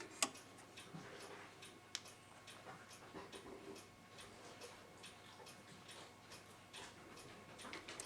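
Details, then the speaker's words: c1910 Gustav Becker Silesia wall clock, Amerikaner P48 movement, dirty and only oiled, pendulum off so ticking fast, gong sticky: light steady ticking with no gong or strike attempt at the half hour; strike not operating. "Let's see if it makes any gong sound. I don't hear it trying to do anything on the half hour."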